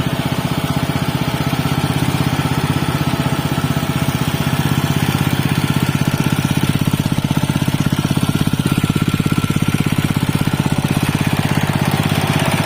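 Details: Robin Subaru EX21 7 HP 211 cc air-cooled four-stroke OHC single-cylinder horizontal-shaft engine, CDI ignition, not new: steady, even firing pulses at a fast constant beat with a low solid thump, no knock or miss; normal, healthy running.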